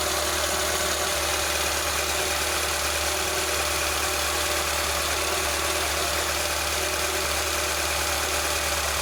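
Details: VAZ 2107 (21074) fuel-injected, about 36–37 thousand km, valve clearance check with feeler gauge: steady, even idle with faint light ticking over a constant hum, no loud valve clatter; sounds acceptable.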